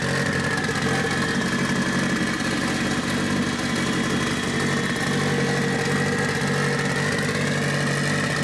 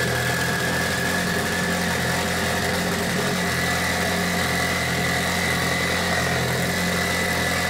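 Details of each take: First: Mitsubishi Evo 8 4G63T with front-facing turbo kit, first start after owner's engine rebuild (pistons, crank, timing); high idle, throttle body adjusted; now steady, even idle with smooth low hum, no hiss or hunting: normal idle. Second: Mitsubishi Evo 8 4G63T turbo engine on the lift, at first start after a rebuild. A steady, even but noticeably fast idle with a constant hum and no misfire. The cause was an air leak from a hose that wasn't hooked up.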